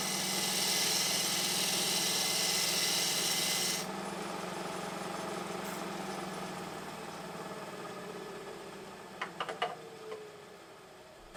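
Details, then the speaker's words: Harbor Freight 12x36 lathe fitted with a treadmill motor, belt tightened to stop slipping: steady hum under a rasping cut for about four seconds, pitch sagging only slightly; motor holds speed well under cutting load, far better than old motor. "I mean, you could hear it slow down a little bit, but it's like night and day compared to the old motor,"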